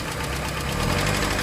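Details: Proton Wira 4G91 petrol engine idling: fast light tapping from the top end, knocking caused by jammed hydraulic lifters.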